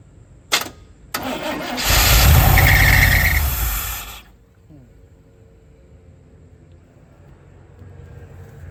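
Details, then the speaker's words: Carbureted engine with a newly installed carburetor: a couple of cranking clicks, catches and roars about two seconds, then dies; owner suspected the alternator dropping voltage below 12 V and killing spark, but battery still read 12 V. "Um this one would fire up initially and I'll demonstrate that here in a minute and then it'll just die. Um I have a sneaky suspicion that it could be the alternator."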